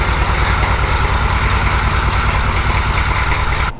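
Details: Grandpa's recovered OBS Chevy truck after a starter replacement, idling: steady low diesel chug with even, regular firing pulses and no knocks; running normally, later drivable after patching a holed transmission fluid line.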